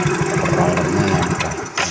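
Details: Yamaha Mio J scooter engine at idle: fast, dry clatter over the running note from a very slack cam chain, not the piston or CVT; fixed by replacing the cam chain, tensioner and chain guide.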